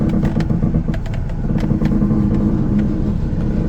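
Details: Honda City Aspire 1.5 (2015): irregular sharp creaks and clicks over low engine and road rumble, only when turning, none going straight; dry front suspension ball joints and bushes.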